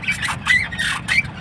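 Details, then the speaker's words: Maruti Ertiga petrol with noise from the left front when steering is turned. With the link rod removed, the shock (fitted a few months ago) is turned by hand: a sharp squeal about every half second. The strut top mount bearing is bad. "दो ही चीज हो सकती है या तो य steering रक है इसकी मूवमेंट हो रही है ठीक है या फिर सोकर का जो ऊपर का बेरिंग होता है"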